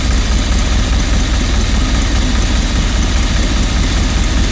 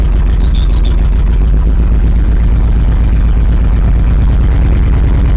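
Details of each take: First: 1986 Rolls-Royce Silver Spirit II V8, parked since 2022, idling just after work on all 8 cylinders was done: deep, fairly steady idle, much smoother, only a faint occasional stumble, slight misfire remains; not bogging at idle but bogs when floored, fuel suspected next. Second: 1986 Rolls-Royce Silver Spirit II, parked since 2022, just caught after long cold cranking: heavy, lumpy low idle with an uneven stumbling beat, one cylinder not firing; still some bad fuel in it, spark plugs to be checked next.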